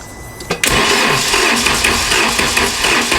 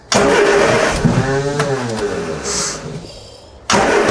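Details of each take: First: VW Mk2 Golf that wouldn't start: quick, uneven starter cranking that won't catch despite spark confirmed at the plugs; crank-no-start, a vacuum leak from unmetered air via a cracked intake boot. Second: MG Midget with battery charged overnight: catches quickly, blips up and falls back in three quick rev bursts, then settles into an even running note; healthy start.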